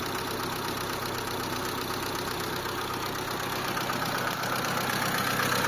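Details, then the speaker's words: Mitsubishi Lancer 4G13 carbureted engine after new fuel filter, previously noisy and hard to start: now a quiet, smooth idle with a soft even hum and no knocking or ticking; normal idle. "Anan mga boss medyo okay na siya. So tahimik na yung makina natin."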